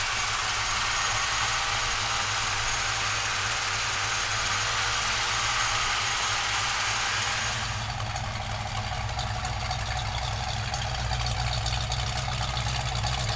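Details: Restored 1965 Ford Mustang convertible with a brand-new crate V8 and a 5-speed. It catches and settles into a steady, even idle with a deep, smooth rumble and no knocks; sounds healthy.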